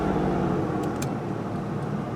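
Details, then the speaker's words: 2003 Ford F150 after swapping to a chipless ignition lock cylinder, with the transponder chip glued into the steering column: engine starts and settles into a steady, even idle with no misses or knocks, healthy running. "Yep. That feels really good. So we have successfully switched from the key and lock cylinder with the transponder chip to a key without a transponder chip."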